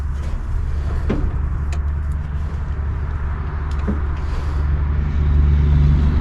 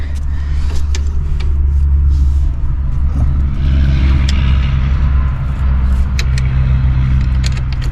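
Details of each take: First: 1964 Pontiac Grand Prix 389 V8, unrun for years, starter jumped and coil hot-wired: low, even cranking rumble about three beats a second that never catches; crank no start, no spark found, points suspected (rusted rotor/cap tab found). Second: 1964 Pontiac Grand Prix 389 V8 cranked with all spark plugs removed: starter spins it freely with a low even rumble, no binding or clunks; normal cranking.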